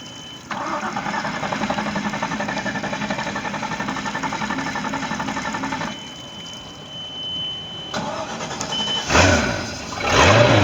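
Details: Bayliner boat engine with a bad starter: about five seconds of even, laboured cranking at around four beats a second before it catches and revs, pointing to a weak starter.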